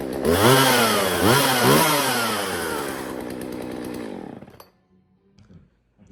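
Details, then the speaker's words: Jonsered 2036 two-stroke chainsaw, long abandoned, cleaned and reassembled: revs up and down cleanly with crisp buzz, then settles to steady idle; runs well, though the chain makes a fair amount of noise. "right, well, she runs good, as you can hear. Everything seems nice. The chain's making a decent amount of noise."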